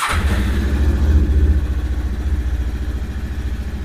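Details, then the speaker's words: Lifan KPT 400cc single-cylinder motorcycle started after its first oil change (10W-40) to check for leaks: it catches and settles into an even, steady idle thump about four beats a second; normal startup and idle. "Okay, now that we've got the oil changed in it and everything, we're going to start it up and check for leaks."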